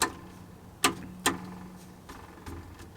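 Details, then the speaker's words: Acura RSX with a Spoon mid pipe, engine off: a handful of sharp, tinny metallic clinks at irregular intervals from the rusty catalytic converter heat shield, loose at the back and bottom. Catalytic converter heat shield rattle. "Now we're just gonna move over to the catalytic because there is some noise, as you could hear,"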